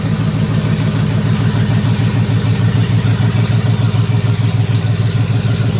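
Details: 2004 Dodge Ram Rumble Bee with swapped 6.1 HEMI V8 from 2006 SRT Charger, open pipes, idling: loud deep idle with even pulses about three per second, no ticks or knocks; running healthy.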